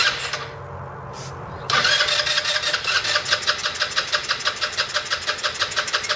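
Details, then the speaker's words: 2008 Roketa Sicily 150 scooter cranking while carb cleaner is sprayed into the intake: even starter pulses about three a second, never catches; owner concludes it may be a spark problem, plug or stretched wires, not the carburetor. "so that tells me it might not be the carburetor it may be a spark issue whether the spark plug's not sparking"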